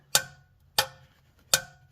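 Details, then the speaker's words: Torque wrench set to 20 ft-lb tightening oil drain bolt on a 2011 Jeep Wrangler JK, almost 130,000 miles: three sharp clean metallic clicks about 0.7 seconds apart as wrench breaks over at set torque. "and you can hear that clicking and when that clicks it tells me I've reached 20 foot PBS so that's it that's as tight as I'm going to as I'm going to make it"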